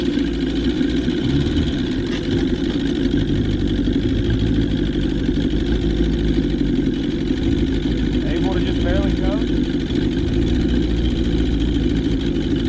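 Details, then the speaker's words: 1977 Johnson 115 outboard on the water after new CDI, coil packs, reed valves, fuel lines and cleaned carbs holds a low, even burble without stumbles or misses; idling properly, the reed valves were not the cause. "idling like it's supposed to. I hate it wasn't the re valves causing the problem"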